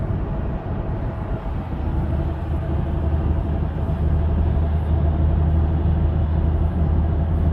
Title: Bad wheel bearing noise *AUDI*